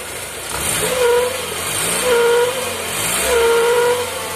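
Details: Toyota Corolla Twincam not started for almost four days: a thin whistle rises with each of three throttle blips, from a broken PCV valve leaking vacuum.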